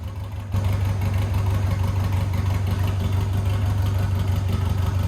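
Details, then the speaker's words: 1990 Birkin S3 Lotus 7 clone, off the road five years, after clutch stuck to flywheel broke free; engine settles into steady even low beat under light load, car moving under own power, no knocks or grinding; normal running. "look at that moves under its own own power first time in five years"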